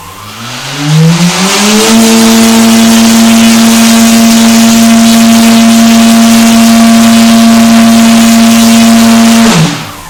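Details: KDE5215XF-435kv motor with propeller on VESC6 MK5, being tuned for maximum power: spins up with a rising whine over about two seconds, then holds a steady clean pitch at full power; normal run.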